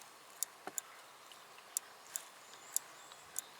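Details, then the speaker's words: BMW K75 motorcycle brake light switch, bench-tested after cleaning its mechanical parts instead of buying a new one: six light, crisp clicks at irregular intervals, each snapping cleanly; switch now functions properly. "sure if you can hear that but clicks just fine now so I'm thinking it functions properly as well"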